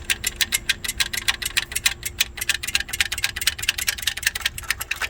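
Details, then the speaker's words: BMW E46 with a fully rebuilt engine, where the owner cannot set timing correctly: sharp metallic ticking about six a second above 2000 rpm, getting faster with speed; cause unknown. "right now the problem is on RPM over 2000 this is what it exactly sounds like"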